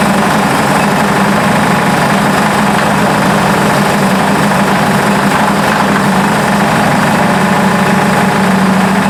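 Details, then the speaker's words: Buick P12 engine at idle: steady rapid light tapping riding over the idle, newly developed, with 42 psi oil pressure; owner unsure whether lifter or rod knock, later suspects a sticking valve; ATF added to fuel. "but she does have a knock of some kind that just developed but I was running 42 lbs of oil pressure there so I'm not really sure what's going on with that"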